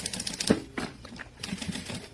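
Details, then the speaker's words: Sewing machine topstitching a winter coat during a zipper replacement: quick sharp pick-pick clicks with each stitch through thick fabric, a little loud; owner suspects a dull needle and plans to change it. "you could probably hear the little pick, pick, pick. My needle is dull as well. A little loud. If my needle is a little dull, I will be changing that out as well."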